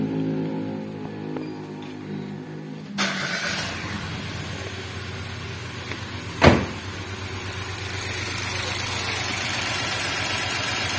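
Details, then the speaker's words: Nissan March with a complaint of stumbling and low power: after the start it settles into an uneven, shaky idle with irregular low thumps. Single-cylinder misfire caused by a leaking ignition coil boot/protector. "disini untuk posisi mesinnya Sinjai atau pincang kelihatan untuk stasionernya bergetar seperti ini untuk indikasi penyakit seperti ini akan dari bagian foil atau busi yang bermasalah"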